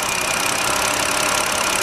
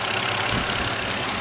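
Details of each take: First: 2009 BMW 5-series at idle with a bad ignition coil: uneven, slightly stumbling beat with occasional dips in the rhythm; misfire shown as signal drop-outs on the scope chart. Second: 2009 BMW 5-series after its misfire was traced to a bad ignition coil and repaired. It now has a steady, even idle with no stumble or skipped beats; all six cylinders are firing smoothly: normal idle.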